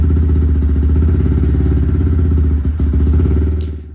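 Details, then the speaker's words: Big-bore Honda Grom single-cylinder, reflashed with added idle fuel after reading about 16 AFR (way too lean): low, lumpy idle wavering unevenly, then sagging and nearly dying; fuelling still off. "I went and added some fuel in the idle area because it was around the 16 AFR which is way too lean so we're just going to keep adding a little bit of fuel here and there until we uh find our mark [Music] it does not want to idle that's for sure"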